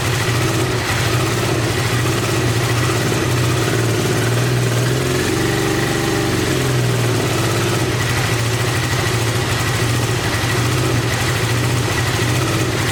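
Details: 1986 Honda VT500 Shadow V-twin, revived after years sitting, idling while warming up: lumpy lopsided idle with hollow uneven beat; rear cylinder dead, owner suspects ignition coil or mice-eaten coil wire, checking spark with plug.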